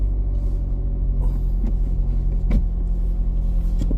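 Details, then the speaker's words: Steady idle rumble broken by split-second rasping bursts as the vehicle is shifted into forward or reverse; grinding when engaging gear, suspected transmission or clutch, not confirmed. "every time that I go forward or back for a split second I hear a little bit of like a little bit of grind I think let me see maybe I'm tripping but I know I'm not tripping"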